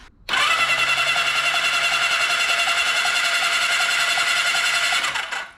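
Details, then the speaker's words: 1982 Kawasaki KZ1000 LTD sat for 35 years, plugs out: even fast free-spinning cranking whir with light steady pulse, no drag or grinding; cranks fine; owner suspects sticky valves from the compression sound. "it sounds like maybe we got some sticky valves I don't know if you guys heard that on the compression"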